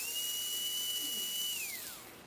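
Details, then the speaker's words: Tyco 440x2 slot car with Pro-8 motor magnets, Pro-10 traction magnets and a 3.5 ohm unbalanced armature drawing about 1.8, voltage turned up to about 18; thin, very high steady whine falling away smoothly as power drops; normal high-speed run. "Now if we turn the voltage up to about 18 just to hear what it sounds like,"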